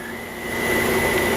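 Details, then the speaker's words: 2005–06 BMW 550i at idle; a thin steady high whine over the engine hum that stops when the transmission dipstick is pulled, oil later puked from the dipstick. "okay so today we have a whining noise on an 05 06 BMW 550i check it"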